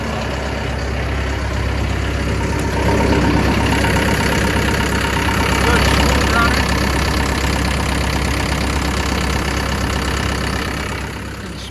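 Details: Brand-new John Deere 60P excavator diesel with 4.5 hours at idle: a steady low rumble, even firing with no knocks or misses, and a gentle swell midway; healthy.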